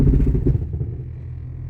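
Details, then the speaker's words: 1996 Jeep Cherokee XJ on first drive after front axle install, in 4-low: heavy low clunks and rough rattling rumble settling into a drone; harsh drivetrain noise in four-wheel drive, fine in 2WD, not a ratio issue, cause unknown. "Wow, whatever that is rough. Huh. Well, we're still good in 2-wheel drive. Did you hear all that nightmare mess?"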